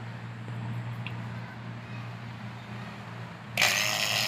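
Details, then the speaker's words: LG Dual Inverter R32 air conditioner installation, vacuum pump evacuating the lines to minus 30: low, steady, even hum with no surging or gurgling, pump now sounds smooth, joints tight; normal vacuum pump operation. "Kemudian pada suara Hai pompa vakum itu sudah terdengar lembut Nah jadi seperti ini saya Vakum ya"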